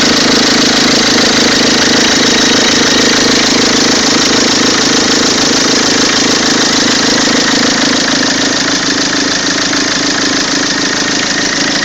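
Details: Peugeot 206 2.0 HDi 90 hp XS, 2003, diesel at idle: odd engine noise, a sharp regular ticking clatter about three per second over the steady idle; cause unclear.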